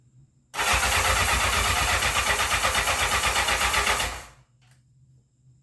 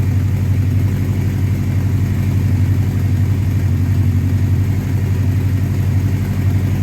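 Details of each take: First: 1984 Honda CB700SC Nighthawk in for carb issues; choke tried at full and half, and the gas smells old. The starter churns in a quick, even rhythm for about four seconds without catching. No start. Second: 1984 Honda CB700SC Nighthawk four-cylinder after carb cleaning, fast idle about 1400 rpm, slightly high, held while warming up to clear fouled spark plugs; steady even low thrum, no misses or knocks, healthy.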